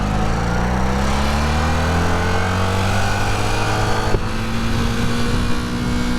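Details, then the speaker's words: Rebuilt Honda CB250 Super Dream twin on the road: pulls fine at low rpm, then around 5,000 rpm pitch stalls and dips briefly before recovering; engine hesitates and holds back under acceleration, owner plans to add fuel to rule out low petrol. "See, it's like holding back. It seems alright at low RPM, but it's pulling alright there. And then it gets to around about 5,000 RPM and it starts to hesitate and hold back."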